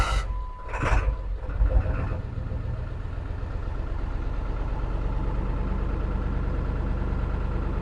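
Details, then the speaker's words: 2002 Ford F-250 7.3 Power Stroke diesel after ICP sensor replacement: a long crank, then a very rough, loping idle with a lumpy low rumble and a check engine light. The owner suspects a fuel filter issue; an injector drive (IDM) fault is suspected. "that is still a crank but it is not happy that is running very rough ah there may be a fuel filter issue"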